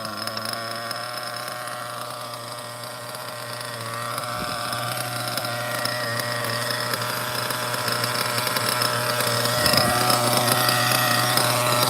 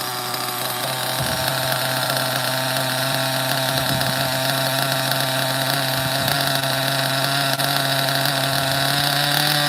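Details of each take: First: OFNA Ultra MBX nitro buggy with Hyper 21 Turbo engine, tuned; low, steady buzzing idle about four beats a second, even and unbroken, a super low clean idle. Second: OFNA Ultra MBX nitro buggy with rare 2-speed and Hyper 21 Turbo engine, just fired up after hard starting from too little priming; high buzzy engine revs, then settles unevenly with a soft burble, running very rich but spinning well.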